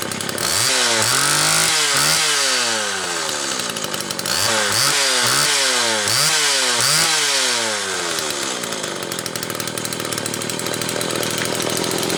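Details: Homelite XL Automatic chainsaw after repair (fuel issue had forced full-choke running; new bar stud, oil system reprimed), cold morning, engine half warm; started in about six pulls; several quick clean blips, then steady high scream, revving freely; high speed close enough; normal running.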